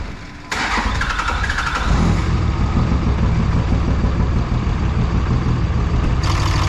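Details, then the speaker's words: 3rd-gen diesel with new BD Diesel 90 hp injectors, rough overfueling idle: heavy, uneven clatter with a low, lumpy beat. Heat gun on the exhaust ports read about 40–60 °C and couldn't pinpoint one injector. "I believe the one that's overfueling should actually be cooler because it's not going to be combusting properly."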